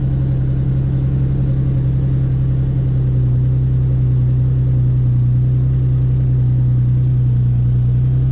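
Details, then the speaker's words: Ford Mustang bought at a Copart auction, started after checking the fluids; steady, even low idle rumble with a smooth exhaust note and no knocks or misses; no warning lights; idling cleanly. "No warning lights. Could hear the exhaust."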